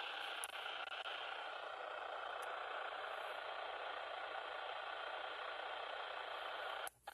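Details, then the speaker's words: Baofeng handheld radio on an external antenna, squelch set to 9, no signal present: soft fluttering static hiss leaks through continuously; squelch opening on background noise, same with factory default settings. "so I take that back there's a very very very very light fluttering if I break the Squatch wide open you can hear there's almost like a kind of a thing going on but still it's such a weak signal it should not be breaking the Squatch when I've got the squelch on nine"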